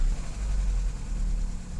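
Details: 2012 Chevy Cruze 1.8L, low on oil, after a click-no-start was traced to a blown fuse on the battery-top fuse box and jumped: brief low, even four-cylinder idle rumble with no knocks, misses or squeals; runs normally.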